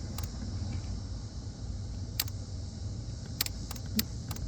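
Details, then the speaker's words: 2004–2008 Ford F-150, key on, relay-circuit check while chasing transmission connector codes: crisp single relay clicks, about six over five seconds, heard when fuse pulled and reinserted; circuit has power and ground. "So now we know that for this one, if it's got a ground and power, you hear the relay clicking if you disconnect it with the key in the on position."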